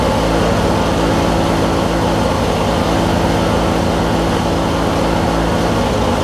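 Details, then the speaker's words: Craftsman LT1000 Briggs opposed twin with a 4-screw Nikki carb that cut out and wouldn't restart hot, after cleaning the flywheel magnet and regapping the plugs: deep, steady, even rumble with no misses; restarts easier, not fully fixed. "listen to the rumble this thing's got on it oh how well the cameras picking that up Wow the thing that's a world of difference"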